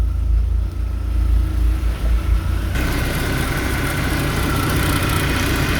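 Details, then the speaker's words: Old BMW E36 power steering pump, aged seal suspected of leaking and drawing air, foams when cold, overfilled with 68-grade hydraulic oil: idle whirring hum with rougher louder churn and popping sound; pump aerating, fix attempt judged a failure. "有这个啪啪啪的声音就不对了。"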